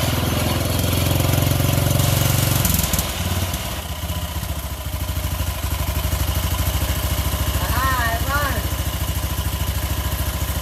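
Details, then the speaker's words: Craftsman LT1000 mower after swapping in a Briggs single believed to be 16.5 hp, with the old carburetor, started on choke; it catches and settles into an even, steady thump with no knock, sounding better than the old motor. "Don't sound as bad as the old one either. Ah, it works too. Cool."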